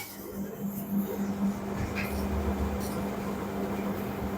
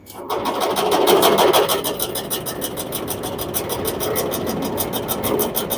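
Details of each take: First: LG commercial dryer after replacing the damaged drum roller wheel, running a 10-minute high-temperature cycle: steady low hum and even tumble with no knocking, scraping or squeal; the drum runs smoothly with no abnormal noise, normal operation. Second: LG commercial dryer running with a load: loud, rough rumble with a fast rhythmic clatter, about three beats a second. Damaged drum roller wheels found; replacing them stopped the noise.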